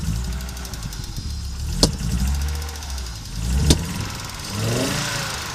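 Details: Audi Coupe after an NG-to-AAR engine swap: hard starting, many misfires, and it stalls while driving. Uneven, lumpy running with sharp pops about every two seconds and surging speed between. Clear misfire; cause unknown.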